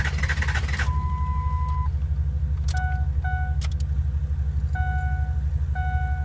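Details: 2003 Ford F250 6.0 diesel cranking with the ICP sensor unplugged: steady low cranking rhythm about two beats a second with dash chimes over it, never catching; cranks but won't start.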